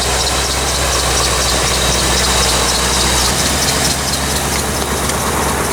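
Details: 1985 C4 Corvette V8 at cold idle on a 14-degree morning after the negative battery cable connection was fixed. Steady, even idle with a slightly busy, hissy top end and no knocks or misses; normal warm-up.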